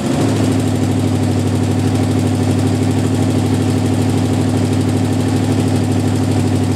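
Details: Jeep M715 army truck converted from fuel injection to carburetor, running after years unused: deep, steady idle with even low beat, no misses or knocks; normal idle.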